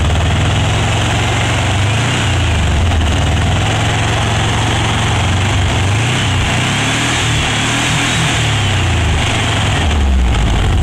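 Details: Renovated, cleaned Mexican VW Beetle (Vocho) with an air-cooled 1600 fuel-injected flat-four and external oil cooler, at idle: an even, steady chatter with a smooth low thrum and no knocks or misses, sounding healthy.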